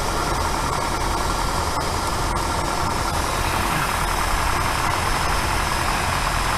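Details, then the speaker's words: 1964 Buick Riviera V8 after dwell was corrected from about 40 to 34 (spec 30), before carburetor adjustment: a steady, even, higher idle with no stumble or miss. Smooth idle. "The idle picked way up. It's running so much better just with that little adjustment."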